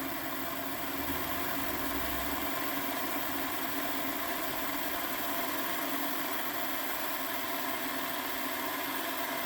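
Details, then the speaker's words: Hornby Class 57 diesel-electric model locomotive, previously dead, motor wiring replaced with heavier strands, on a rolling road test bed at about 11 volts and just under 0.1 amp: steady, even whirr with no catching or grinding; running normally. "okay folks here we are now we've got the model on the test bed and we'll just turn on the controller and you can hear she's running"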